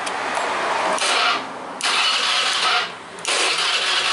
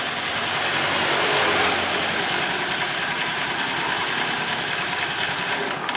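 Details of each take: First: Honda Vario 110 carburetor scooter, after an ignition coil replacement, stalled on the road: three one-second bursts of electric starter cranking without catching; battery 13 V, dropping to 11 V while cranking, judged normal. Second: Honda Vario 110 carburetor scooter that had been hard to start after an ignition coil replacement, now starting readily: the engine idles steadily with an even, light mechanical clatter and no misfires; charging measured about 13.2 V.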